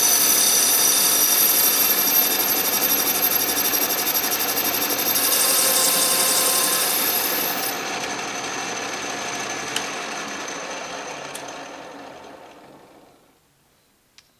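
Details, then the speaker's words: Restored 12-inch Atlas Craftsman metal lathe turning scrap brass under carriage power feed, lathe not yet leveled or bolted down: steady even cutting hiss with smooth tick about four per second, fading as feed stops; normal power-feed turning cut. "that looks pretty nice let's try it with the power feed"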